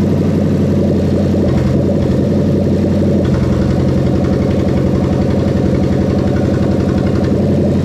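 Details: Toyota Crown 3UZ-FE VVT-i V8 with adapted plug-and-play harness for a Lexus IS200, 6-speed automatic, zero fault codes: low, steady drone with an even beat and smooth pitch changes as it revs, no knocking or ticking; healthy.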